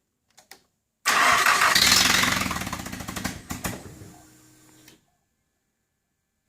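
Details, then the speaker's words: Nissan SR20DET turbo engine swapped into a car with wiring still unfinished: the starter spins the engine at a steady, even crank for about four seconds but it never fires. Crank no start; the cause is not yet diagnosed. "met the stage where it needs to fire and it's just not starting the way I thought it might"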